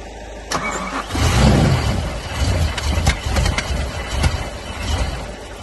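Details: BMW M5 E60 after an engine rebuild: starter cranks, engine coughs and sputters unevenly, then drops back without a steady idle, with smoking. Misfiring, cranks but won't start.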